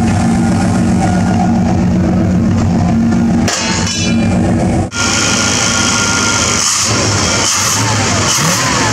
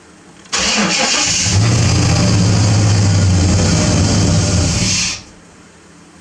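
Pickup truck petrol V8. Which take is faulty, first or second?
second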